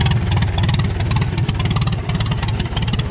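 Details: 1936 Farmall F20 tractor, hand-cranked, carburetor flooding, choke in: old engine thumps along about three beats a second, slightly uneven, not quite clean; rough running, carb adjustment and magneto advance being tried, carburetor rebuild needed.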